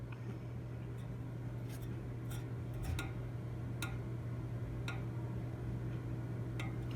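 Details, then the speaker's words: PTAC unit fan: light sharp ticks about two a second over a steady hum, one per revolution. The fan wheel has a scraped spot and something was found sticking out of it. Fan blade ticking. "ticks every time it's on this blade right here or scarred it in the market my I scraped the paint off of it"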